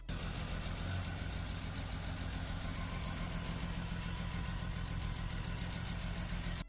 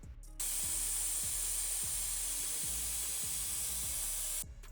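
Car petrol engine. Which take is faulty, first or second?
second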